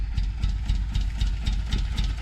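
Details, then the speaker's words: Mitsubishi Lancer GSR 1.8 turbo four-cylinder, first start after installing a new fuel pump (old pump suspected as it made no buzzing): low, lumpy, quiet idle with uneven chuffing pulses about four per second; rough running, only partly firing. "It's running, kind of. Sounds quiet."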